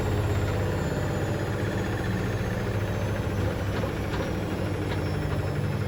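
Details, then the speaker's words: Hoover DynamicNext DXOA410C3 washing machine test spin: fast, loose rattle riding on the spin drone throughout, like something stuck in the drum; cause believed to be a £1 coin under the heating element. "sounds like something stuck in the drum"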